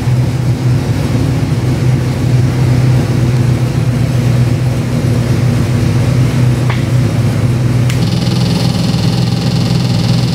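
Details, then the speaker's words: Chevy 383 stroker crate engine with Holley Sniper EFI, about 466 hp, on dyno before going into 2000 Jeep LJ: deep steady V8 burble, starts on high idle then settles and climbs smoothly, no knocks or misses; normal running. "let's fire it up and give you a run right up on high idle and comes down to our"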